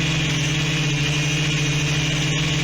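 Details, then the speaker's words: Quadcopter "Palantir 3" after reflashing iNav 3.0 flight controller firmware: steady high buzzing motor tone as motors suddenly rev up when switching from angle to altitude hold mode; cause unknown to owner. "and you hear the motors suddenly rev up as it goes into that mode i don't know why it does that"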